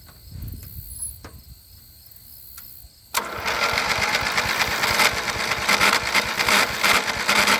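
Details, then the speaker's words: 1983 John Deere 111 lawn tractor, jump-started after long disuse: engine catches and a harsh gritty grinding from a worn pulley bearing rides over it, gone when the clutch is pressed; needs new bearings. "so you hear that bad grinding noise that's a pulley as soon as i put in the clutch it's gone so it needs new bearings"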